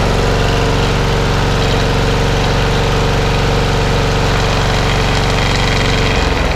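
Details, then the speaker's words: Masport lawnmower with an old Briggs and Stratton engine, after a full service and with the blade fitted, at full throttle: steady, even drone with no shaking; it started on the second pull and runs smooth and healthy. "okay so no shaking at all now on that on full throttle which is lovely and it started second pull so very happy with that"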